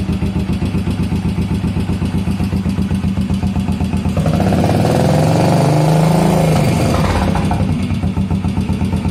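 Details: 1981 Yamaha SR500 single after oil and filter change, sump check ball/spring/gasket replacement and valve adjustment, still smoking, 115 psi compression: uneven thumping at idle, about four beats a second, a brief rev and back to a lumpy, stumbling idle.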